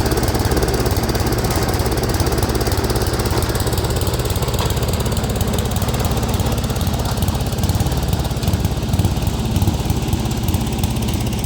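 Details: Speedex 1630 garden tractor with a new carburetor and the old head gasket reused: a single cylinder chugging at three to four beats a second with a lumpy, uneven rhythm at steady speed, running rough.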